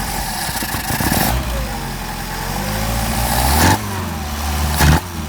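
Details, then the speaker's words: Mercedes 190SL Solex carbs rebuilt elsewhere, tested on a mule engine, with poorly fitting throttle plates and little idle mixture adjustability: engine idles, then hesitates and bogs as the throttle opens instead of picking up cleanly; off-idle stumble. "they just don't have much adjustability and um off idle is got a little stumble there"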